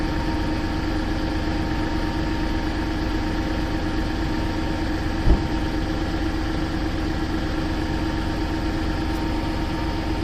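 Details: Seat Ibiza 1.2 TDI diesel, cold start idle: hard, fast clatter over a steady low rumble. Cold-start engine knock, source unclear.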